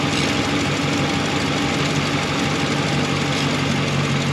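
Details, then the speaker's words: Ram 1500 5.7 V8 with BBK shorty headers, restarted after tightening collector bolts: steady idle with fast sharp puffing tick at firing rate, still leaking at header collector; clamp to be adjusted. "okay let's see if that steals this thing up or not restarting the engine and it still leaked a lot of delta right there"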